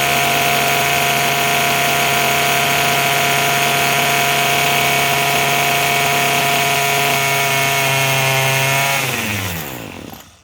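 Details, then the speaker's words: Craftsman 27cc two-stroke string trimmer, made January 2013, restarted after it suddenly stopped: steady high buzzing idle, then winding down smoothly to a stop; running normally. "Okay, so I got. Let's give it a try. sounds pretty good."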